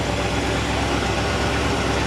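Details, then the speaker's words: 1986 Shamrock 20 boat, Ford 302 V8 not started in 3 years, running with the carburetor getting fuel. Steady, even low rumble with no knocks or misses, smooth idle: normal idle. "Sounds like it's running. Boy, sounds really smooth. It feels like it's running."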